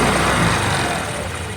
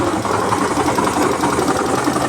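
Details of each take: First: Hero Destini 125 scooter after half-engine rebuild with main bearing and connecting rod work, which cured its bearing noise: a short throttle burst that rises and eases back smoothly, with no knocking or grinding; the engine sounds healthy. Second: Hero Destiny 125 scooter idling after half-engine work fixed a no-start: fast, dry metallic rattle and rumble under the engine note, steady with idle; crankshaft main bearing noise, bearing to be replaced.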